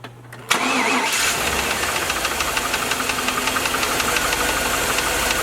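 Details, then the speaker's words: V8 at idle with a light intermittent knock about four a second that disappears when the number five plug wire is pulled; rod bearing number five confirmed. "so there's that knock you can hear it i'm gonna pull the boot off it's gonna start arcing from there um but you should hear the knock go away"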